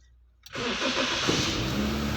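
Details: 2007 Toyota Corolla: short crank, a clean catch, then a quick settle into a smooth, even idle; the engine starts normally.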